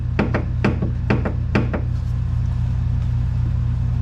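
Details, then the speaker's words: 1984 Bertone X1/9 driven over bumps, heard inside the car: sharp hollow clunks, some paired, over road drone. The inner tie rod is wobbly because the plastic steering rack bushing has disintegrated; the knock is felt in the steering wheel, and the rack must come out to be rebuilt. "this inner tie rod is too wobbly and the bushing has disintegrated so when you drive the car and you hit a bump inside the car you hear"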